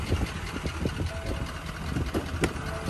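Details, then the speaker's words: 6.7 Powerstroke diesel with compound turbos, code P0016 (crank/cam position correlation), owner fears timing gear slipped: uneven idle with irregular heavy thumps under the clatter; owner suspects injectors but unsure. "it sounds injectory to me but i i'm bad at this kind of stuff so i don't know"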